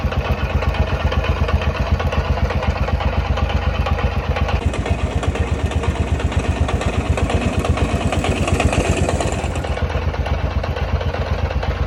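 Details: YES 125 motorcycle at idle: steady idle with a sharp, regular tapping about four times a second riding on the firing beat. Some internal engine noise, cause unknown.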